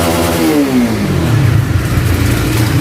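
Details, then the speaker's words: Honda CBR motorcycle after replacing the cam chain tensioner rod: quick rev drops back to a steady even rumble with no ticking or rattle under repeated throttle blips; top end healthy. "Jika batang penegang tidak bermasalah, pasti akan tetap berjalan lancar meskipun digas berulang kali."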